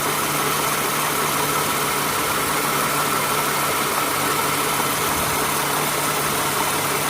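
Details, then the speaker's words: 2008 Toyota Sienna after replacing accessory belt, tensioner and idler pulleys: even, steady engine hum with no chirp, squeal or clicking metal sound; the new belt and pulleys run smoothly. "New pulley. No clicking metal sound. Let's go to the top and compare. If you hear the ticking sound, it's from the engine. But there's no... Yeah, it's smooth sound."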